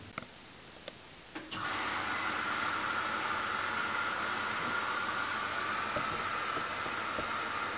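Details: Hoover Dynamic DXCC69IB3 9 kg washing machine (1600 RPM max) starting a 14-minute Rapid cycle at 1200 RPM: a few clicks, then the motor starts with a soft, steady hum and even whir; a quiet, normal start.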